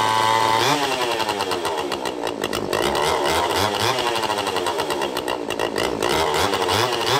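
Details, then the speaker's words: Restored vintage Pioneer P41 66cc two-stroke chainsaw after a carb rebuild, fitted with an opened free-flowing muffler and a 24" Oregon bar, cutting wood. A loud crackly wail that bogs and recovers as it bites. Healthy saw running under load. "Let's do a little bit of cutting before we pack it away for some real work of the future."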